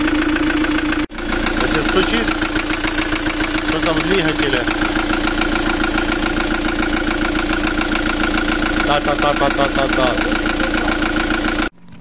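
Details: Fiat Doblo 1.9 JTD (Opel Z19DT 1.9 CDTi) diesel idling with a steady hard knock, about three or four a second. An endoscope showed scoring in cylinder 1 and a likely valve imprint on the piston: scored bores, damaged piston and broken ring.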